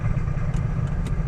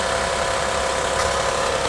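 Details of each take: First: 2008 Honda Odyssey, about 170,000 miles: quiet in park, deep heavy rumble and clatter when put in gear and the van doesn't move; front CV axle joint found wobbling with broken balls inside. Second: 2008 Honda Odyssey, about 170,000 miles, after replacing broken axle: engine runs with even steady hum in gear with no clunk or grinding from driveline; normal running, noise gone.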